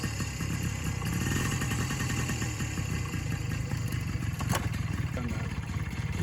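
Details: 1983 Honda PA50II two-stroke moped, first start in three years after fixing CDI grounding for spark; rapid steady buzzing idle with even beat, very quiet, no stumbling or dying: normal idle.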